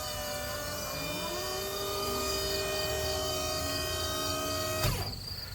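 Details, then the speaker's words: 1995 Dodge Ram 3500 dump truck, Cummins, very rusty former salt and plow truck: dump box hydraulic pump whine that rises slowly in pitch under load, then cuts off cleanly with a clunk as the box goes up and down; normal lift operation. "anyways yeah goes up comes down so that works good"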